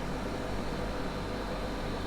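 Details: Hornby turntable after DCC conversion, its small motor running at about one-third speed with a steady, even low hum and buzz and no knocks; running at full speed makes the motor buzz.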